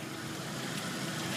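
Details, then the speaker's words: Jeep 2.5L engine, long-stored, after replacing one quart of oil with ATF and driving under a mile: smooth steady idle, no knocking or ticking; earlier knock attributed to sticky lifters (piston skirts also suspected before). "not even kicking nothing just normal engine engine noise I guess"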